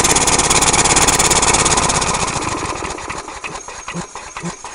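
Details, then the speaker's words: Compressed-air-powered push mower with sticky throttle, after full throttle: fast even hissing pulse of the air motor eases down to a quieter steady idle, no misses or rattles; normal idle. "idle that's at idle right now so I'll rev it up again"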